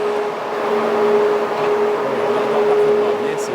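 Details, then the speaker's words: Rio Tinto Jonquière plant, Arvida, Saguenay: scrubber fans, built to limit dust spread, louder than expected, producing a constant dull drone day and night for over a month; steady tone over air hiss, persistent fan hum. "les citoyens d'arvida ici la jonquière disent qu'il est grand temps parce que ça dure maintenant depuis plus d'un mois ce bruit constant"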